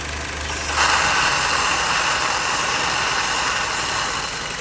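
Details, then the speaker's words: Jeep Patriot petrol engine idling evenly with a steady airy hiss, running fine for now; owner was checking for a suspected vacuum leak, and it soon starts shaking at high idle before settling back. "So, I don't know if you can hear it running. It's running fine right now."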